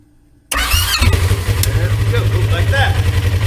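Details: Polaris RZR XP1000 that clicks but won't start after going through lake ice: silence, then the starter spins strongly with a steady churn when battery power is jumped directly to it bypassing the solenoid, confirming a bad starter solenoid.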